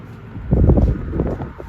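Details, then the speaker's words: 1956 Emerson 77648-SO desk fan after a cord replacement and long outdoor storage: soft, even rush of air and low hum, no rubbing or ticking, nice and quiet with slight blade run-out. Normal running. "It's nice and quiet. It's got a little bit of run out in it, but that's pretty hard to avoid."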